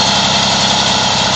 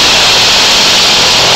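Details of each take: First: Two-stroke Moby moped idling after the variator was reinstalled with a thinner 4 mm shim in place of the too-thick shims. Side-to-side play is gone and it holds a steady buzzy idle with no belt-drive rattle or clicking. Normal idle. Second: Moby two-stroke moped after variator reinstall (shims had been too thick), fresh piston/rings: raspy rattle on throttle blips before the clutch engages, gone after engagement. Owner suspects a common variator noise.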